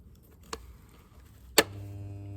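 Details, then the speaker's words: 1983 Mercedes W126 280SE unused for over 10 years: fuel pump powered directly at 12 volts from a battery charger, a click then a steady even buzz; the pump works, and a relay fault is suspected if it won't run on ignition. "Et ben voilà. Et elle fonctionne bien en 12 volts. Elle tourne bien."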